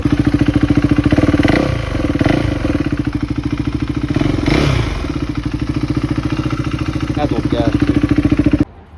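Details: 2021 KTM Duke 390 single-cylinder, a recovered stolen bike, first run after the ignition was replaced and without changing the old fuel: steady, even chuffing idle with no misses or rattles, then a clean shutoff; normal idle.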